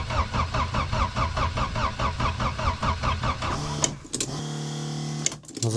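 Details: Diesel in winter, cold start after repeated glow-plug heating: steady rhythmic cranking about a turn and a half per second with no catch or firing; cranks but won't start.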